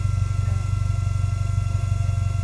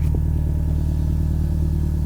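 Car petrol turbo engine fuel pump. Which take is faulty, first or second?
first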